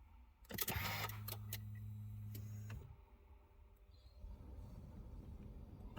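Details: 2015 Subaru WRX: starter whirs about two seconds but never catches, with alarm not arming or disarming; crank no-start from an electrical fault, fixed by disconnecting the battery for a few minutes.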